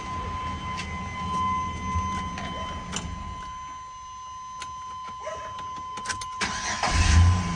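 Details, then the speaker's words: 1995 Chevy 1500 with a no-crank problem, fixed at the ignition switch: after a quiet stretch it cranks briefly and catches at once, firing up cleanly with no grinding or hesitation; starts normally. "Starts right up. Done."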